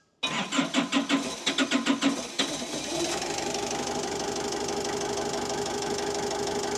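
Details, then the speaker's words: Diesel with injectors cracked for bleeding: cranking pulses then catches and settles to a slightly uneven idle, tone changing as lots of air bubbles out of the second injector; air in fuel system. "Yeah, you have a lot of air coming on that second injector. I can just feel that here at the different tone now."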